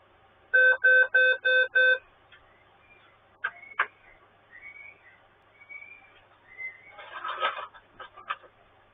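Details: Dell Inspiron Mini 11z P07t netbook at power-on with no display: five evenly spaced high beeps about a third of a second apart, then nothing; a POST beep code indicating a hardware fault.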